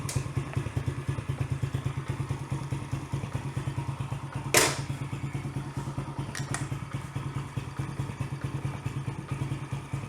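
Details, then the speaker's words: Yamaha TT-R110 single-cylinder, year unknown, first start during revival on choke: slightly lazy thumping idle with one loud thud midway; idle mixture rich on the bottom, air screw behind the airbox needs adjusting. "just a little rich on that bottom i think i need to pull this off so i can get in and adjust that screw a bit kind of go at an idle she's rich"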